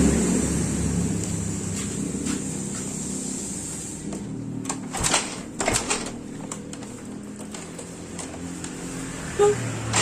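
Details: Yamaha Mio Soul GT scooter that sat unused several days and would not start: after kick-starting, the small single-cylinder engine runs a steady, even low putter at idle with no knocks or misses; problem was only the spark plug.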